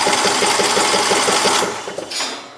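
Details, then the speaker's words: Free John Deere LA115 lawn tractor, long neglected: quick even starter chatter about five beats a second with no firing, then drops away; owner suspects low compression, possibly a blown head gasket. "I think it does have low compression it sounds like but it was free what can I complain"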